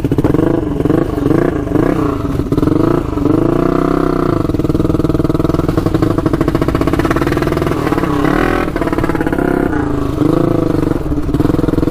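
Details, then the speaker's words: 1999 Honda 400EX turbocharged quad on first test ride with new oil and fuel pumps: note rises and falls about every second, surging under boost and cutting out; owner suspects flooding, cause unconfirmed. "uh still surging quite a bit it's not liking that"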